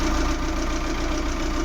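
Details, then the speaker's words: Maruti Suzuki Eeco petrol with company-fitted CNG after replacing faulty MAP sensor (code P0108): smooth regular idle pulse, no stumble, jerk or shake; earlier vibration gone, manifold fault code moved to history. "Engine start रखा है, और जो पहले झटके मार रही थी, engine पूरा वाइब्रेट हो रहा था, वो नहीं हो रहा है।"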